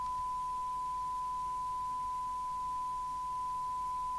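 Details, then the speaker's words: 1981 Japanese-made Amstrad CB901 UK FM CB radio on service, S9 test signal applied to check the detector: single steady pure tone around 1 kHz, clean and even with faint hiss; receiver working properly. "So put an S9 signal on. And we'll just double check that detector."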